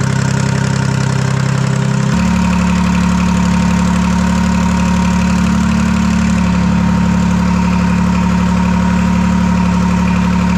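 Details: Detroit 3-53 after 25 years idle; reversed camshaft corrected, buffer screw being adjusted, open exhaust. Steady, even idle with a firm low drone and a regular beat of roughly 150 pulses a minute, no knocks or misses.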